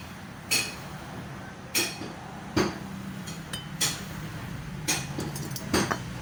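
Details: Yamaha Mio Soul i 125: sharp metallic clacks about once or twice a second over a light engine hum; suspected piston slap, not confirmed.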